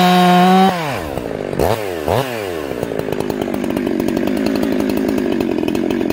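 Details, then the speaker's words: Ported chainsaw during carb tuning, turned out about half a turn: saw leaves the cut, dips, then screams up with ragged burbling snarl at top rpm. Four-stroking at high rpm. "now you guys hear that four-stroke four-stroke four-stroke you actually get it some load on it it cleans up and pulls hard the minute i pull it up it starts four stroking again"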